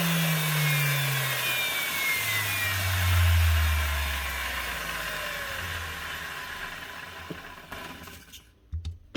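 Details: Old Makita 9609B 9-inch angle grinder, before repair: winds down with a harsh, gritty roar instead of a smooth hum, from worn motor bearings; slight brush sparking on one side, needs new bearings to quieten it.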